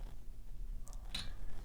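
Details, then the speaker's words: Bicycle wheel: two short dry clicks a fraction of a second apart as crossed spokes move and rub, with a visible wear spot at the contact point. Likelier on road bikes climbing slowly. Spoke cross click. "the noise the spokes move rubbing against each other and they make this little click noise and we look right here we can see the wear spot where the two spokes have been in contact and where that noise is coming from"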